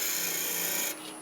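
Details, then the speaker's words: Woodturning lathe cleaning off the face of a beehive box with a draw cut using the tool tip, handle braced at hip: smooth steady hiss, tool lifts off about one second in; clean, properly presented cut. "When a tool's cutting right, you can hear it. There's a certain sound to it, there's a certain feel."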